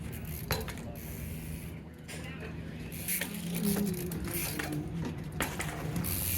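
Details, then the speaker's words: Alaudark single-speed rear hub, 114 points of engagement, new on a Star Neuron street-trials bike: quick, dense buzzing clicks in bursts while freewheeling; dry ratchet, no freehub oil yet, working normally. "I didn't put any pre-hub oil in it yet, so that's what it sounds like."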